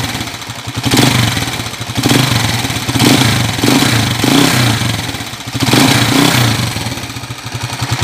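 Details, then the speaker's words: TMX155 single-cylinder motorcycle, timing gear already replaced, idling and blipped with a fast even ticking clatter; fore-aft play felt at the magneto side, crankshaft end play. "right so Yan po narinig niyo yung andar maingay malagitik Napalitan na rin daw ng timing gear yan ganyan pa rin yung ingay niya"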